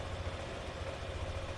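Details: Yamaha NMAX (old model) scooter at idle while connected to DLC scanner: even, steady low putter without knocks, misses or rattles. Normal idle.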